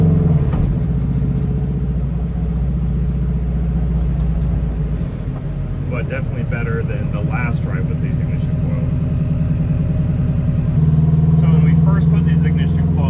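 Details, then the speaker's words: Subaru WRX-engine-swapped Beetle (about 300hp, turbo), relatively cold, doing a pull that reaches only 13 PSI of boost: a steady drone under load turns rough and uneven as it breaks up. The owner wonders about heat soak; it is a misfire under boost from fuel starvation. "So, we were only able to hit 13 PSI there. So, it's better than last time we drove it."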